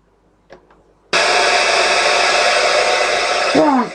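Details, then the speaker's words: Sony ICF-2001 receiver powered on: a loud, steady hiss of static with no station at any tuning, even though the signal strength meter reads full; reception fault, cause unknown. "the signal strength meter is registering strength the signal strength meter is measuring full strength as if we're picking up a station about you can hear all we have is static now we can go up or down what the tuning doesn't matter just picking up nothing but static no matter what I do"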